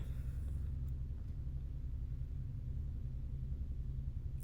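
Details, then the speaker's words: Upstairs neighbor's washing machine running at night, heard from the apartment below: continuous low rumble with a faint throbbing pulse, shaking windows and bed through the structure; cause unknown. "I'm sure y'all can hear that in the background. My windows are vibrating. My bed is it's vibrating every night."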